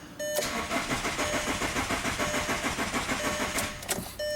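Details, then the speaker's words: 2002 VW Jetta 1.9L TDI ALH diesel, no glow plug light even with booster box and battery: sluggish, uneven cranking about three compressions a second for three seconds, never fires; slow crank, no start. "starting still not cranking real well either"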